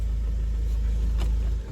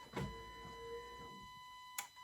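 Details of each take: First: Audi diesel after the faulty injector was dealt with: smooth, even low rumble at steady idle, no shaking and the previous tick gone; engine idling cleanly, heard with the window open. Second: Audi diesel, first start of the day, cold, no diesel on the injectors so slow to start: catches after about three seconds, then a clattery, slightly uneven idle; it habitually misfires when cold, and injector correction readings show cylinder 4 high.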